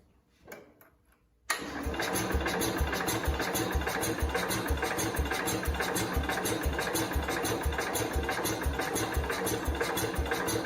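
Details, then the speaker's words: 1969 Cub Cadet 105 after reassembly, on choke: brief cranking then a lumpy beat about twice a second that won't pick up; more responsive than before, owner suspects low fuel, cause unknown. "it's a lot more responsive than it used to be though and it's not taking off when it's choked usually they'll take off I don't know"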